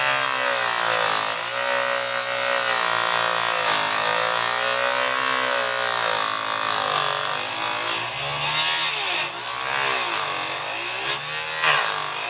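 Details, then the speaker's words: Saw cutting thick plastic: the whining tone sags and recovers several times, choking and slowing as cut plastic chips build up and drag underneath the blade instead of all spitting out; bogging from chip buildup. "Now, as you can hear, the saw was sometimes choking a little bit and slowing the speed because this buildup of these cutouts, which are dragged underneath instead of, some of it are spitting out, of course, but that's why I said you better watch your eyes and put safety glasses on."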